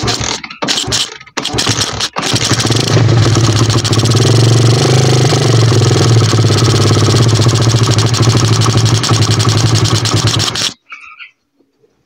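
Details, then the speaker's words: 125cc pit bike: uneven, lumpy low rumble that dies abruptly when the throttle is released; idle screw raised half a turn. Owner thinks the idle still needs adjusting; rough idle and stalling off throttle. "Když pustím plyn, tak to chcípá. Tak to prostě chcípá."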